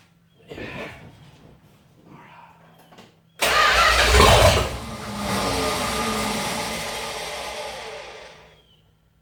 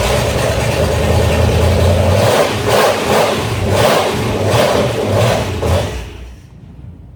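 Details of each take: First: 1969 Dodge Dart 273 V8, first start after engine R&R years ago, carburetor filled by hand: cranks, catches and revs briefly then fades and dies; runs only on carburetor prime, no fuel supply. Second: 1969 Dodge Dart V8, engine removed and reinstalled years ago and not run since, started after the no-spark coil wire fix: catches and revs with an even, strong beat, then shuts off. Runs on all eight cylinders and the oil light went off.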